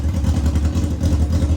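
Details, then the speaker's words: 1999 Yamaha R6 bought as a non-runner, running without exhaust so very loud at idle; lumpy, pulsing beat, one carb pair matched but banks way off; carburetor sync out of adjustment. "These two are actually pretty good relative to each other. Pretty much dead on, but you can see bank to bank. Yeah, these two are way off."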